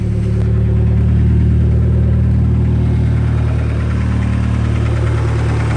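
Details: Steady idle with a quick, even light tick, about three or four a second, over the engine note; owner says it is not lifter tick, source unconfirmed; engine ticking noise.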